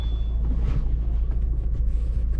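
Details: 2008 VW Golf Mk5 1.9 TDI driving on a main road under load: heavy, uneven low rumble and judder with the whole car shaking and violently vibrating, from a worn dual mass flywheel; fixed by replacing the clutch and flywheel.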